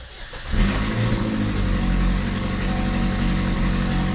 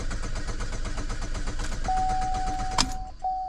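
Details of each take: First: 2013 GMC Terrain 2.4, 335,000 km, after repairing fuel pump control circuit wiring that caused crank-no-start (fuel pump not running; lean, misfire codes): catches quickly and runs steady, even with no misfire or stumble; normal start and run. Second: 2013 GMC Terrain / Chevy Equinox, 2.4 engine; steady starter chug about twice a second but it never fires; codes for lean condition, fuel pump control circuit and misfire, fuel pump not heard running; crank no start.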